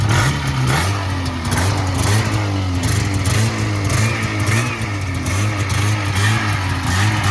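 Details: 1980 Yamaha SS440 Exciter snowmobile two-stroke, revived after sitting about 20 years, fuel primed after a cracked fuel line, throttle still a little sticky; a crisp crackle rises and falls with each blip, picks up eagerly and settles without stumbling, running healthy.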